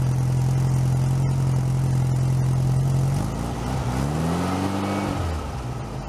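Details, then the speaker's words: Freshly rebuilt VW Type 1 air-cooled 1641 engine bench-started outside the car, cold with choke partly closed: steady even flat-four beat with firm low hum, speed dips and settles midway, no knocks or ticks. "i'll have it running for a little while so you guys can hear what it sounds like and"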